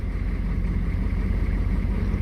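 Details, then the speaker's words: Short bus engine idling after a second new fuel pump was installed, replacing last month's pump suspected faulty (others suggested vapor lock); didn't want to start on a hot day but did, low even rumble, no misses or knocks: normal idle. "listen to that the engine is running so the new the second new start not started chill pump is in and it's still"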